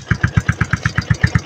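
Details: Yamaha Sniper 135 after bypassing a faulty starter push button: crisp even single-cylinder firing about eight pulses a second, steady rhythm, no misses; normal idle.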